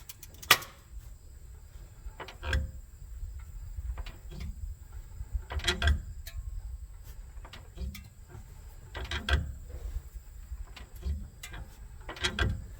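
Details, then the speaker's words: 2013 Ford Edge 3.5L V6 shifted between drive and reverse: sharp, heavy clunks a few seconds apart, each as the shifter moves; transmission torque arm joint has a lot of play and is worn out, to be replaced. "this joint right there um it has a lot of play in it so I don't know if it's showing up but you can hear it uh this is all shifting"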